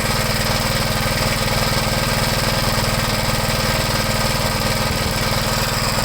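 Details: 1973 Gravely C8 after replacing the oil pump cover seal and gasket, run to check for drips: steady, even single-cylinder chug at fast idle with no misses or knocks; normal running.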